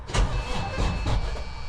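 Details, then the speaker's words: Diesel truck that sat for a week: slow, laboured cranking that never catches because the batteries are too weak; fix is a jump from another truck for extra juice. "take a from truck just needs a little bit extra juice until it starts and then these things will charge up right away"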